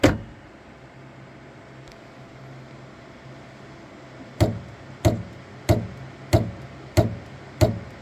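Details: Saturn Ultra 4 16K resin printer after starting a print: platform tray keeps rising with six sharp, evenly spaced knocks about every two-thirds of a second over a quiet motor hum; Z-axis knocking before it resets and prints, cause unclear.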